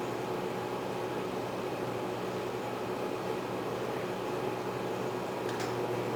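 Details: GE Spacemaker JVM1752 microwave, about a year old, runs with a constant loud electrical buzz over the fan hum at power level 10, cycling on and off at level 5; transformer and magnetron were replaced, transformer believed faulty.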